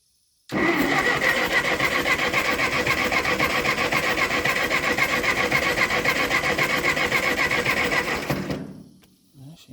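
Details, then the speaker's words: Ferguson TO20 tractor sat three to five years, unchoked: steady fast cranking, roughly 220 beats a minute for eight seconds, never catches; cranks but will not start, spark check next. "all right didn't even have a pop so I'm going to try to choke it and then I'm going to try to start it all onehanded"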